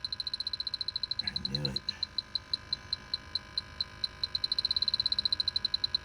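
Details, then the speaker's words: A refrigerant leak detector's sharp high beeps quicken from about six to nearly ten a second at the back side of the evaporator coil, confirming a leaky evaporator coil; the system is to be recharged and a replacement coil quoted. "that is a leak and then you'll hear it slow down i got a leaky evaporator coil about on this side"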